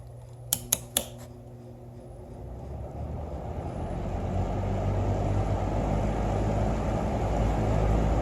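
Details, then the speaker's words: Holmes 20-inch box fan HABF-20 viewed from back: switch clicks, then steady airy whoosh building smoothly and settling into an even run; normal startup and running. "Here's the back of this Holmes box fan that has the handle on the back, not up here. Let's hear the startup sound of this fan."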